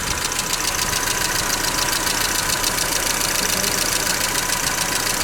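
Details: Mercedes Vito W638 with M111 2.3L petrol engine at idle: quick, fairly even tapping about two a second over loud fan hiss; engine knock, cause undetermined.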